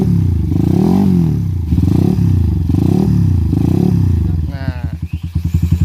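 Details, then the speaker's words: Suzuki Satria FU 150 single-cylinder with Racingboy parts, PWK 28 carb, custom intake and BRT CDI, revved with the owner: blips rise and fall cleanly into a crisp, even popping exhaust beat; engine sounds good. "seperti itu guys suaranya untuk mesinnya cukup bagus"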